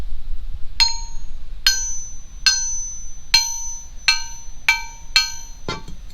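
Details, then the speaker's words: Billet Crower lightened crankshaft from an E-Production Miata engine, hammer-tap ring test: short dull clanks with no ring, like a dead rock; multiple cracks in the rod journals kill resonance, cracked crank. "It sounds like a dead rock. The reason it sounds like that is because there are multiple cracks in the rod journals, which is essentially disconnecting the crankshaft in multiple different parts, and it will not ring."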